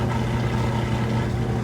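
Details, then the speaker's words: Kenmore electric washer-dryer laundry center (belt and tensioner pulley drive) at near full spin: steady even hum with drain pump still running, no thumping or wobble; fast, smooth, balanced spin. "You can still hear the drain running, but it's got a nice fast spin,"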